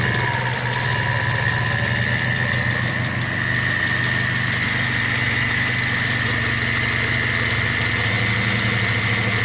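Steady high whine holds over the idling engine without changing pitch, typical of worn alternator bearings.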